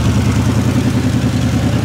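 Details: 1960 Chevrolet Impala V8, long-stored, running to warm up and recharge the battery after a fix, smoking slightly: steady even low rumble with regular firing pulses, no knocks or misses; normal idle.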